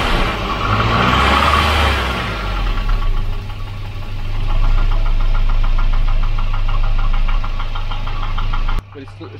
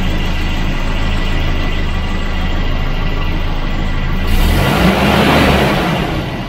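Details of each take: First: Volvo 240 with Redblock B230 engine, the noisy motor at idle: hollow rapid knocking about four a second, piston slap that stays too loud regardless of temperature, far louder than the quiet engine. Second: Volvo Redblock B230 four-cylinder (240/740/940), the quiet engine: even, steady sewing-machine purr at idle with no knocks or misses; smooth, healthy idle.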